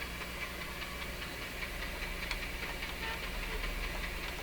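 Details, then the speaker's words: Nordmende Norma Luxus tube radio on FM with a wire antenna: soft hiss with a faint uneven chuffing tick about two or three per second, interference from the nearby soldering iron. "why is it making that chucking sound you shouldn't hear that on a fm radio but again that's my soldering iron doing that"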